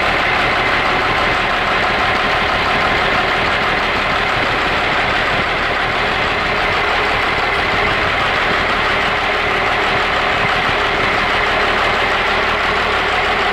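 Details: 12-valve Cummins from a second-generation Dodge 3/4 ton, running at idle on a test stand with a temporary install: loud, even diesel clatter with a sharp metallic edge. Lift pump makes only 2–3 psi instead of about 17–18 psi, explaining low power.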